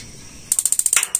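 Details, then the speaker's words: Gas water heater igniter test: quiet, then rapid sharp ticks about eight a second and a soft whoosh as the gas catches. Normally the igniter sparks and the solenoid opens under a second later. "suara dua proses ini yang pertama memantik yang kedua suara ini itu 11 andemen jadi pasti urutanya memantik DVD selang tidak sampai satu detik baru selenoid ini membuka"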